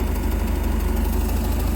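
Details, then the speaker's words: 1987 Bayliner Capri MerCruiser 3.0 with Holley Super Sniper EFI, running open loop without oxygen sensor: low, steady idle with even firing pulses and no misses or knocks; idle position maybe a little low but idling about right. "idle position sensors maybe a little low i might back that off a little bit more but it's idling right about where it should"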